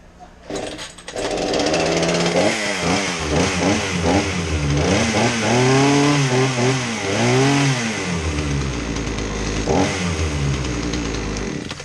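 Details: Craftsman 18-inch chainsaw after repair of a no-start, flooding fault despite fresh fuel, good spark and compression: two-stroke blips up and down cleanly, pitch following throttle without stumbling; running healthy.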